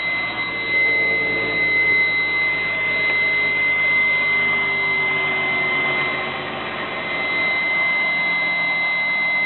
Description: Mk5 R32 start up, strange whining noise that seems louder than it should be.